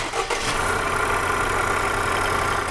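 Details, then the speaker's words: Engine running with the accessory belt removed: starts and settles into a smooth, quiet steady idle with no whine or chatter; huge difference, so the noise comes from a belt-driven part, suspected water pump bearing. "Huge difference. The engine's quieted way down. So, we know it's one of the things that's driven by the belt."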